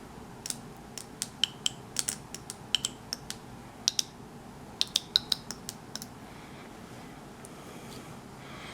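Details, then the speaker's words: 1994 Saab 9000 ABS valve body on the bench, solenoids triggered pin by pin: sharp, irregular clicks as each solenoid snaps crisply when energized. All solenoids work, so the valve body is fine. "can't really see anything now you can do is hear them the solenoids work so the valve body is fine working from uh from that perspective"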